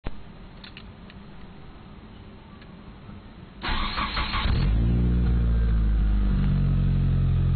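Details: Mitsubishi Evo III cranks, catches and settles into a lumpy, uneven idle beating about four times a second; rough idle, owner suspects bent valves, cause unconfirmed.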